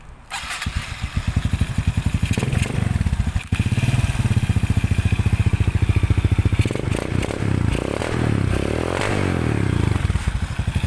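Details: Suzuki Smash 115 motorcycle converted to a Racing R-150 (Raider 150) New Breed CDI, remote-start: it starts first try and settles into a steady single-cylinder putter, rising briefly with throttle, with no misfires or knocks. It runs healthy.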